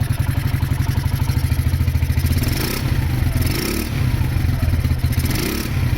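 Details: Honda GL100 CDI before its rebuild, with weak power and compression that is not very tight. Uneven revs bring a loose, rapid clatter that rises with revs and is attributed to a noisy clutch. The carburettor runs erratically and the engine smokes.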